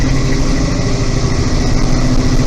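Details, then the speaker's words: 1968 International Scout V8 on its first test drive on snowy roads: a deep, smooth, even rumble with no knocks or ticks, good oil pressure and strong shifts; the fuel pump is slightly loud; a healthy engine. "motor sounds good. It's got good oil pressure. Shifts good and strong."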